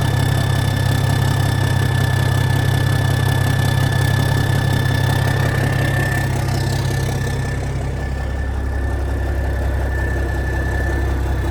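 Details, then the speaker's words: 1987 cabover truck diesel started again after years sitting, with a fuel leak noted: turns over smoothly into a deep, steady idle of about four even pulses a second, no misses or knocks. Normal diesel idle. "That thing just turns over so smooth. Dang! That's so smooth. It is so smooth."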